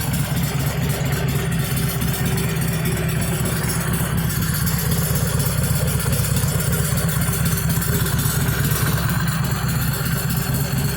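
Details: Stock 2013 Harley-Davidson Sportster XL883N Iron at idle on its stock exhaust, before the slip-on mufflers were fitted: a loping, steady V-twin rumble with a bit of top-end clatter. Nothing abnormal.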